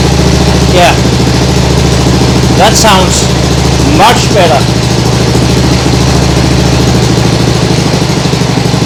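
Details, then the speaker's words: Nibbi G619 walk-behind tractor engine after carburettor cleaning to cure hunting; throttle handle in lowest position, smooth even patter with no hunting, sounds great, like a sewing machine. "like a sewing machine that sounds great really great and the throttle handle is in in the lowest position"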